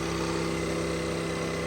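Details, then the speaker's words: 2023 Ford Maverick after front collision, cold engine at 64°F outside, new condenser, fans replaced: cooling fan roaring on high over engine hum; owner suspects disconnected ambient air temperature sensor in front harness, coolant system full of air. "I hear a real high fan. The fan is blaring away as if it's really hot outside or a really hot engine."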